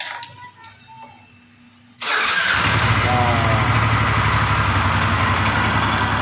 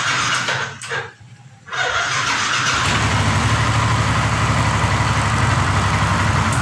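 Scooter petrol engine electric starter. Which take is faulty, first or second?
second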